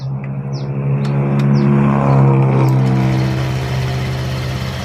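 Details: Fuel-injected Vario motorbike started after discussing a fuel pump that keeps running with the key off: a few light clicks, then the engine catches, revs quickly and settles into an even, steady idle; normal start.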